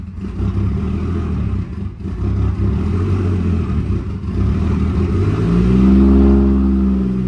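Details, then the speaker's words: Toyota Mark II JZX100 first start after Tomei Ti exhaust install: loud exhaust drone with uneven lumpy beat about four a second and rev rise near end; owner attributes rough running to intercooler work. "pretty loud it's running rough because of the iac i mean because of the intercooler stuff"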